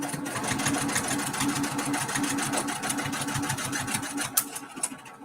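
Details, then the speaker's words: Multi-needle embroidery machine stitching a mini quilt: fast steady stitching chatter turned hollow and lighter; needle came unthreaded. "uh oh did I have a something broke my thread no something sounds like it broke something doesn't sound right let's see yeah my needle came unthreaded sure did"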